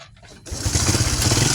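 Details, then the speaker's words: Honda Supra X 125 FI, previously totally dead with no ignition, wiring jumpered and manual ignition switch: engine catches after half a second and settles into steady even idle; fault traced to wiring to the lamp. "Wah, hidup bro. Coba cek ya, dengarkan ya. Wah, hidup ini."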